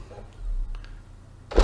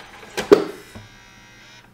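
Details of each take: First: Xbox 360 E disc drive after repair of tray that wouldn't stay closed, eject pressed with game inside: brief quiet motor whir then firm clunk at end of travel; normal disc tray opening. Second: Xbox 360 version E disc drive, with or without a disc: short tray motor whir and click on closing, then a second whir as the tray reopens by itself; tray won't stay closed, jammed by a foreign object.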